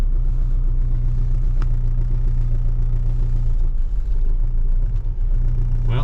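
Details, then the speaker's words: 2009 Ford Fusion 2.3L, 165,000 miles, barely runs with no throttle response and codes for MAP, cam position and cylinder head temperature sensors: low, uneven idle that lumps and dips, from an intake vacuum leak and an unplugged cam sensor. "oh terrible o she's not running good not running good at"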